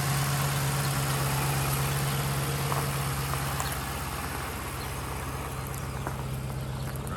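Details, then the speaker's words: 2013 Chevrolet Caprice PPV with LS-based L77 V8, displacement-on-demand deleted and an LS9 camshaft, running great after fixing the crank reluctor (1x replaced with correct 4x); steady idle, deep exhaust, faint cam lope. "here we are today thing runs great we'll start it up let you hear that ls9 camshaft"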